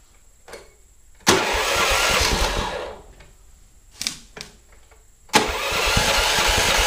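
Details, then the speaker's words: Predator 420cc 13hp single in a golf cart after carb cleaning and an exhaust upgrade: catches after a short crank, runs a couple of seconds, drops off, then fires again into a steady even chug; running pretty good. "all right that's running pretty good"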